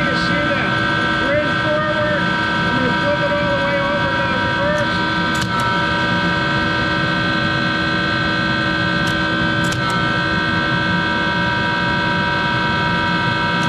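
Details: Monarch 10EE lathe with a three-phase motor-generator and vacuum-tube-rectified DC spindle drive: loud steady motor hum with a constant whine above it, from worn motor-generator bearings that need replacing.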